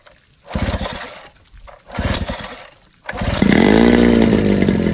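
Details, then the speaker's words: 1987 Johnson 9.9 long-shaft outboard, cold start on muffs with choke and primer bulb: a few cord pulls, then catches and settles into a steady, even two-stroke idle; sounds healthy. "but otherwise I think I got myself a kicker motor Oh folks it's a good day I got a motor that Ryan's to go"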